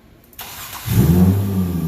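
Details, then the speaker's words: 2000 Nissan Maxima with intermittent crank/no start, after starter replacement, with the crank sensor signal now a clean square wave; brief crank, then it catches at once into an even idle and starts every time. Normal crank and start. "they're actually even though there is noise in there from the starter but not like it once was and obviously it starts every time now"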